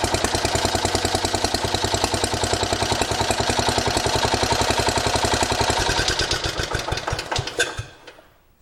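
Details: 1980 John Deere 212 lawn tractor single-cylinder engine after replacing the leaking crank seal and adjusting the PTO, cranked to check the seal doesn't spin: steady quick thumping beat, runs evenly until switched off and coasts down; sounds healthy.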